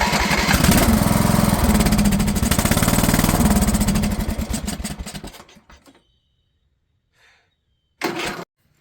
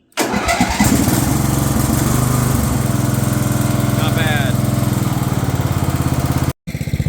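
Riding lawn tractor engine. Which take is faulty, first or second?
first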